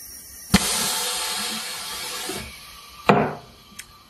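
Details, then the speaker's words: Morgan G-100T injection molding machine after a mold height adjustment: a sharp, solid clunk as the toggle locks over centre, showing good clamping force; normal. "did you hear that clunk okay I'm gonna engage it and it gave a nice clock when it went over Center"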